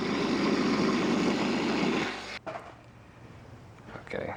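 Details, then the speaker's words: 1997 Honda Civic engine running: harsh steady grinding rasp from the worn belt idler (tensioner) pulley bearing, heard for about two seconds; pulley being replaced. "en to it you'll be able to hear the vibrations and in this case you can hear a lot of grinding noises"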